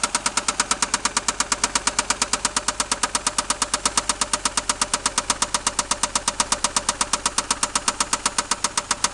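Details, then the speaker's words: 1990 Toyota Supra, newly bought, at idle: crisp light ticking about three per second high over a quiet engine, located under the valve cover area rather than the bottom end; suspected lifter, rod knock questioned; top-end ticking. "So you think it's at the bottom or the... No, it's right here under this thing. So it's probably a lifter? Yeah."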